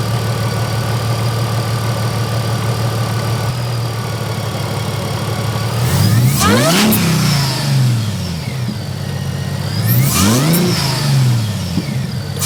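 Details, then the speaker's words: Mercedes SLK32 AMG after new ignition coils replaced the Bosch ones. Steady idle, then two clean, quick throttle blips that rise and fall smoothly with no stumble; the earlier misfire and bogging are gone. "That sounds a lot better and a lot more healthier. So, those coils, I'm super happy."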